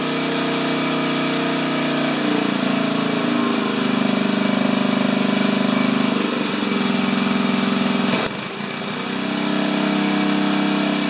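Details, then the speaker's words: 4HP horizontal Briggs & Stratton, carburetor leaks now acceptable, about half throttle: it runs a steady even beat and picks up cleanly without missing. Coughs slightly then takes off; mixture near right; normal running. "what i like about it is that when i throttle it back up from low rpm to high rpm it just coughs a tiny bit and then it takes off so that tells me that my mixture sitting is within a hair of uh of being good"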